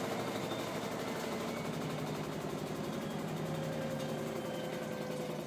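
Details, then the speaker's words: LG washer during spin: steady deep rumbling roar with faint rough vibration, no knocking; owner suspects bearing failure, unconfirmed. "Okay, this is the tub spinning, and the question is that a bearing line? It sure sounds like it."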